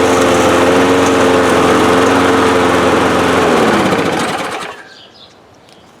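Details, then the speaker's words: 2005 Murray Quantum 6.5 mower after swapping in primer backing plate from a Craftsman, with new carb, gaskets and air filter: runs smooth and steady about four seconds, then winds down evenly at shutoff; normal running. "tossed that one on it and uh primed right up this thing's running great now"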